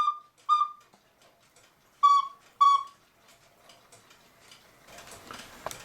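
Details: 1940 Lux cuckoo clock with a one-day double-weight movement: two clear, strong, even cuckoo calls with falling notes and no wheeze, after the bellows top was reglued and the extra air holes were covered; the bellows are sound.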